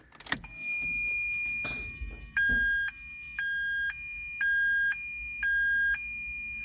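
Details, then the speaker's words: Ferrari 360 Spider after reassembly, first power-up on freshly reconnected battery: even two-tone warning chimes repeat about once a second with ASR and gearbox warning lights on and a clicking felt at the rear; cause not yet pinned down, suspected user-introduced. "asr and then the the gearbox light is on is it clicking back there sage it's this one you can feel it"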